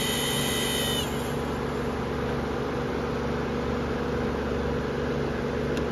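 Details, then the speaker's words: New, donated Amazon Basics F26-16A floor air circulator fan on high; steady drone with a few fixed tones over the air rush, louder and rougher than expected; abnormal fan noise, cause unknown. "I wasn't really sure why somebody would donate a new fan unless there was something wrong with it a little bit High well that doesn't sound good"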